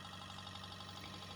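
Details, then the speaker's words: Bedini pulse motor circuit after replacing a burned-out transistor and retuning so the transistor stays cool: steady, even electronic buzz with a constant high pulse tone, running normally. "it turns out if I if I tuned it the transistor doesn't get hot so the transistor is fine now and you can hear it flying"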